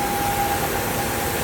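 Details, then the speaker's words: Fiat Argo engine at idle: loud steady hiss with a thin constant whistle; the noise stops when the cap is opened, traced to a torn PCV membrane, a vacuum leak. "Barulho localizado aqui na região do motor. A gente barulho muito forte. Motor funcionamento regular."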